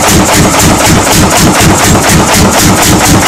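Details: 1940 Lanz Bulldog single-cylinder tractor engine at its first start after 40 years. A loud, even thump about four beats a second, steady with no misses: it runs cleanly.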